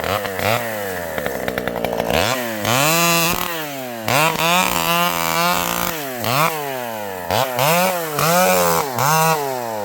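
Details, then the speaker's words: Vintage two-stroke chainsaw with a governed carb cutting a storm-leaned tree: it bogs slightly into the cut and snaps back to high revs between cuts, clean and even. The saw is running beautifully. "This old girl is running beautifully. You can hear this thing has a governed carb."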